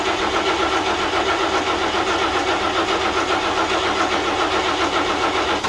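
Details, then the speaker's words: 1941 GMC one-ton pickup, 230ci straight six, first start attempt in 20 years with oil mixed in gas; steady cranking about four turns a second with a few coughs never catching; owner suspects flooding. "only got close once and that was it let's try again again"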